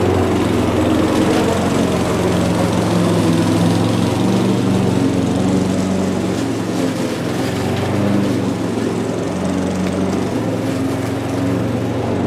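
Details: Mountfield budget push mower with entry-level Honda vertical-crankshaft engine, revived old unit, cutting grass: steady even drone holding pitch, no misses or surging; normal healthy running under load.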